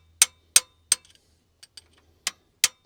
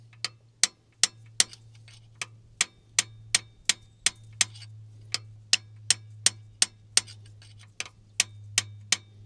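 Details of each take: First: GM Detroit 12V71 supercharged two-stroke V12 diesel in a Wabco Haulpack dump truck, sitting for years. Sharp metal taps on a previously seized valve, now freed, give light rebound ticks, a springing, bouncing sound unlike the solid sound of a stuck valve. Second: Sharp hard taps, nearly three a second, on a seized valve giving a dead solid knock, not springing, in a long-idle supercharged two-stroke GM Detroit 12V71 diesel from a vintage Wabco Haulpack dump truck.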